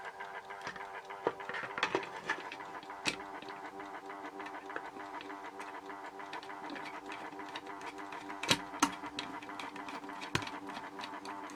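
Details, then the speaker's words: Horstmann VA Mk9 SRS2 time switch, 240 V 50 Hz synchronous motor, reconnected with case refitted: steady fairly loud motor whirr with faint ticking; normal but noisy, the case barely quietens it. "As you can hear from that, that case doesn't do too much to quieten it down. It's still quite loud. Like I say, VA basically means very audible."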